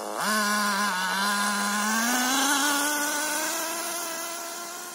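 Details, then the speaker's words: Nosram .18 RS Evo nitro engine in an HPI Nitro MT during break-in tanks, still running quite rich, around 110 degrees; high buzzing tone that settles and then climbs, holding a steady, slightly soft idle with no bogging. "see it's sitting for a bit and it just goes straight away no bogging down even though it's still quite rich"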